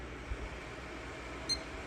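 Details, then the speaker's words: PC with an RTX 2080 Super, power-cycled repeatedly, gives a single short high POST beep over steady fan noise but still no video from the card. Cause unconfirmed; power drain planned next. "first still no video nothing from your card"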